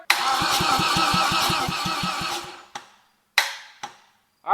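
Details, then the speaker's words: VW 07K five-cylinder swapped BMW E30 before fuel system completed: starter spins engine in quick even rhythm, about three to four compressions per second, until battery dies; healthy cranking. "She freaking cranks, baby."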